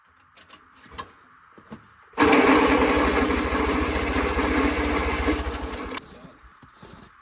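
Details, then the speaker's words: Oliver Cletrac OC3 crawler, hard to start: nearly four seconds of steady chugging cranking stops without catching. Once started it idles fine but dies under load, and a compression test is next. "All right, well, it takes a little bit to get it started, but then it does idle fine."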